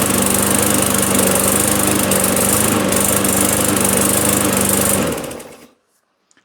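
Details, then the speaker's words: Newer self-propelled auction mower with non-adjustable, likely plastic carb, after cold first start: steady, even full-throttle single-cylinder chatter with no misses, then shut off. Slightly choky per owner, otherwise healthy. "Seems a little bit choky, but before you start messing around getting into carburetors, cuz there's no adjustment on these carbs."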